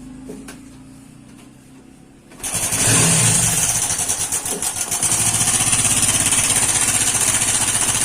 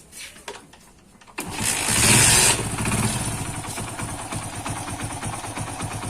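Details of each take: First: Hero iSmart 110 small single-cylinder motorcycle: fires up and settles to a fast idle with a steady metallic clatter on top from a worn timing chain; timing chain kit replacement is the fix. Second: Hero iSmart 110 after timing chain kit replacement for engine noise: catches quickly, brief rev, then a quick even putter with no rattle; the small single idles cleanly.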